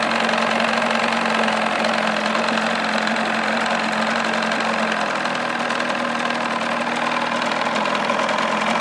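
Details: 1979 Evinrude 35hp two-stroke outboard, lower unit in water, warmed up, idling with cover off before sound-deadening test: loud, steady, high-pitched buzz with even beat, no knocks or misses; meter max 96.4 dB, minimum 83.6 dB; normal idle.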